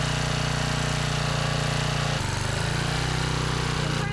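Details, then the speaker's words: Trash-rescued Generac 5000 W generator after the upside-down kill switch is corrected: a steady single-cylinder chug with an even beat that briefly settles as the governor adjusts, then runs smoothly. Normal running. "So we got it wired right, we just got the switch upside down. That's all."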